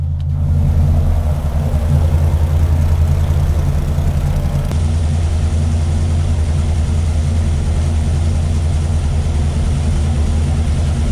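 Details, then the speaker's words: 528 Hemi V8 with aluminum heads, double springs and electronic distributor, brought down to idle at 900–950 rpm with 15–16 in of vacuum expected: deep, steady, even lumpy idle with no ticks or knocks. "Let's put this on idle. If you guys take a look, we should have 15, 16 inches of vacuum at less RPM. Let me bring it to 900, 950."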